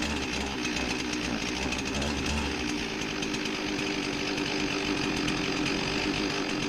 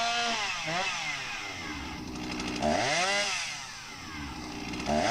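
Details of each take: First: Husqvarna 261 chainsaw with a rebuilt carburetor and new air filter, hard to start: buzzing two-stroke sags and stumbles at the bottom end instead of picking up cleanly; lean low-speed circuit. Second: Husqvarna 261 chainsaw, 21 years old, not run in a long time, during tune-up after carb adjustment (jet opened, set a couple hundred rpm below ~3600 peak, left slightly rich): saw blips up and down, crisp climb, clean drop to steady idle, no bogging; runs healthy.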